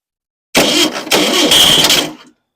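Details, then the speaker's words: Rebuilt engine's first start after months of rebuilding, hot-wired with new battery, plug wires corrected, choke wide open: catches on first crank, runs rough and hissy under two seconds, then cuts out; suspected fuel issue, choke probably needs adjustment. "Well, fired right up. Well, a fuel issue. Let's see. That was kind of exciting. It did fire."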